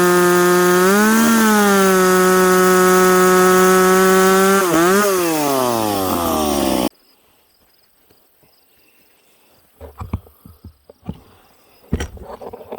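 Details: Piped McCulloch Pro Mac 850 two-stroke chainsaw cutting two-year-seasoned oak, tuned ragged-edge lean: high steady scream holding pitch through the cut at about 10,300 rpm, dipping slightly under load, then cutting off; running strong.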